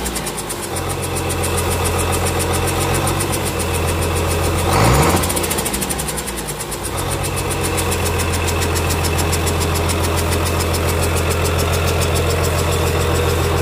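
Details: Komatsu S6D125 six-cylinder diesel after general overhaul (new crankshaft, liners, pistons, bearings; calibrated FIP and nozzles): firm, even beat with a quick dip and recovery in speed mid-run, then steady; normal running.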